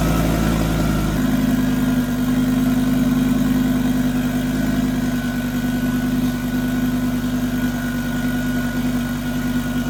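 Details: Fully rebuilt big-turbo 900 bhp Mk2 Ford Focus ST fired up again after oil and coolant top-up: fires cleanly and drops into a steady, even idle with a smooth hum and no knocks or ticks. Normal start and idle.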